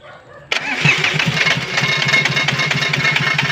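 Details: Komatsu PC20 excavator, Komatsu 3D84 diesel with low power, black smoke and hard starting, checked with arm and bucket jacked up to load it: catches into uneven lumpy beat about three pulses a second; faulty fuel injectors.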